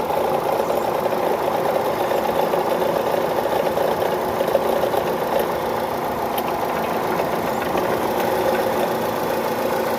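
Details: Chevrolet Cruze/Sonic engine idling: uneven ticking rattle over a mid-pitched drone; abnormal engine noise, cause not pinned down.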